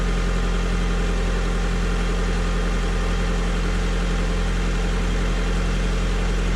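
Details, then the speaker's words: 2003 Honda Civic LX right after replacing the battery with a Group 51 unit, following a stall where dash lights went out: engine starts and idles smooth and steady, even beat, no knocks, ticks or squeals; sounds good. "well the engine certainly sounds good here"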